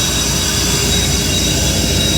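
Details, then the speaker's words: Jinko Solar air compressor and dryer, as the instrument-air valve is slowly closed before switching off: a loud steady roar of air and machinery with a hiss on top. Normal unloading. "hear it unload it'll go right that'll unload now take this switch and I turned that switch off"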